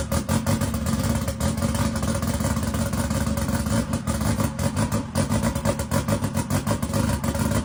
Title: is it on a start tune or is it misfiring?